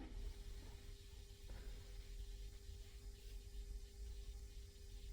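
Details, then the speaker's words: Restored vintage 1970s Selmer Treble & Bass 50SV valve guitar amp, after moving the preamp cap-can ground to a star ground, idling on the bench: very quiet, only a faint transformer hum that comes and goes with bench vibration. "I mean, there is a slight transformer hum you can hear, and with it being on the bench as well, because I've moved it about, the chassis about a bit, and that comes and goes because of course the vibration is going through the bench."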